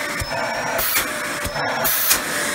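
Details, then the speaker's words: Mid-2000s Dyson DC14 Animal upright vacuum: steady high motor whine broken by short hissy gusts as the little relief valve opens when suction is blocked; normal behaviour. "heard that noise there's actually a little relief valve that opens when there's too much suction being blocked"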